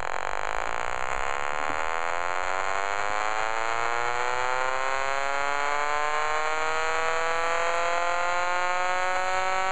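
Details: Homemade pulse motor rotor with magnets on tape and sewing-bobbin coil: steady whirring buzz whose pitch climbs smoothly as rotor spins up very fast; even, regular running.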